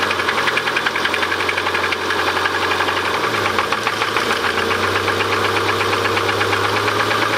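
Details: Subaru Impreza RS boxer engine idling after a rallycross with a rapid, steady metallic knock running through it: rod knock.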